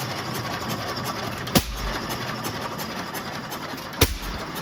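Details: Restored Waterloo Boy 5 HP engine running for the first time after reassembly: single sharp firing bangs about 2.5 seconds apart with quiet coasting between, idling evenly in a healthy hit-and-miss rhythm.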